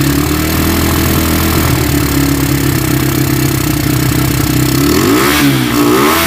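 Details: Tiger single-cylinder motorcycle that smokes when cold and has lost power, started after a wash: rough idle with busy clatter from the cylinder head carrying into a short rev; cause found to be loose rocker arms.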